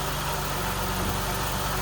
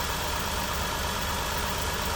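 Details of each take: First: 2011–2016 Chrysler Town & Country after ignition coil replacement, which fixed the cylinder 6 misfire (P0300/P0306), with the misfire count no longer climbing toward 70 as before; smooth, even idle with a steady low rumble and no skipped beats, normal idle. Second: 2011–2016 Chrysler Town & Country with P0300/P0306 codes, idling with a confirmed cylinder 6 misfire after a reported earlier spark plug and wire replacement; uneven stumble about three times a second, with a stretched plug wire, plug or ignition coil suspected, later traced to the failed coil.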